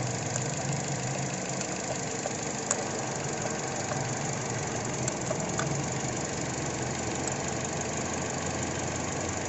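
Idle with an uneven, stumbling beat and occasional sharp ticks over the engine hum, consistent with a misfire from a failing coil pack.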